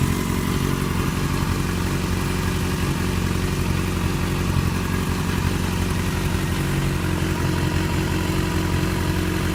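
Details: 2008 Yamaha FZ6 with 49,000 km held at 2,000 rpm, after sitting off for a few hours: deep, even engine drone with a loose clattery edge; strange engine noise, cause unknown.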